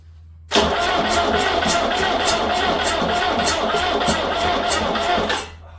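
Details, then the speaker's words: Peugeot 504 diesel parked since 1987, fresh diesel, injection pump still bleeding, ether and brake cleaner tried: starter churns in even bursts about three a second for nearly five seconds but the engine never fires; cranks, no start. "B going to go dead already Lous you steaking piece of crap she does not try to fire not looking promising people"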